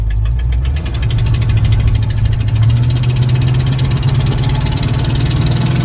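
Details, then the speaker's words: 1988 Chevrolet Monte Carlo SS T-top, first drive pulling away: deep loud rumble with fast raspy puffing rising with speed; occupants say definitely exhaust, bad exhaust leak, car also smoking and belt squeaking. "I'm recording for the both of us so definitely exhaust you said what definitely exhaust yeah oh yeah it's bad too ready"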